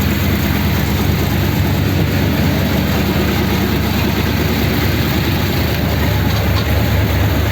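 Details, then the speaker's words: 286 cu in flathead V8 (3-3/8in bore, 4in stroke) beach race car at first start, fast idle, deep even rumble, no knocks or surging; earlier issues with battery, distributor and oil filter seal. "that sounds a bit more like it fast idle get the oil splashing about inside"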